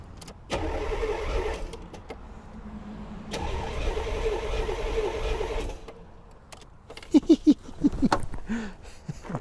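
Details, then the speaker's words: 1984 Chevrolet Corvette (C4), new water pump: two long bursts of steady cranking, never catches; crank no start despite fuel present, owner suspects timing is off. "freaking turns over let's try this engine starting fluid oh it's already shooting gas I do not need this it's already shooting gas"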